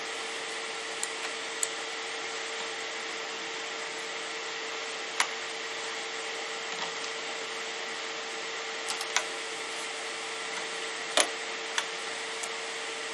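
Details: Radeon RX 570 graphics card's single fan spun up hard under gaming load, custom curve 80% from 40 degrees: even airy whoosh, steady mid-pitched whir; normal high-speed fan.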